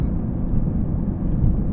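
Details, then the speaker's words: BMW E46 M3 with CSL carbon intake and CSL tune, heard loud in cabin under throttle; deep, even intake roar pulling hard, no knocks or misses; healthy. "Dude, I don't know if it's gonna come over, but it is loud in the cabin, and it just sounds so visceral. It just sounds like the engine is like right here in your ear, pretty much."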